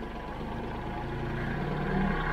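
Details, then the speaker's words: Kubota L3901 tractor diesel revved to raised idle after the 400-hour service, including fuel filter change and fuel system bleeding, to force out remaining air. Steady low drone climbs slightly and runs smooth and even with no misses; normal running. "So now that it's been running for a little bit, we're gonna rev it up."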